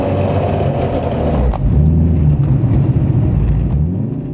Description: This is a Fidanza 7.6 Ceramic Twin Disc clutch making some noise that really doesn't sound too healthy to me. It has been chattering quite a bit from when I first started driving it when I engage and disengage the clutch